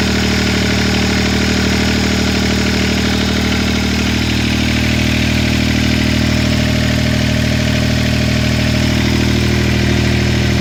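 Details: Three-cylinder Yanmar diesel in a John Deere 430 lawn tractor, idling smoothly with an even beat after a leaking fuel line was replaced to cure air getting into the lines; normal idle.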